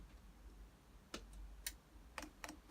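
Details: Chinese diesel air heater on the bench with a makeshift intake air filter: soft, sharp single ticks, a couple per second, in a quiet room as the dosing pump primes diesel and clicks normally, with no bubbles seen in the fuel line.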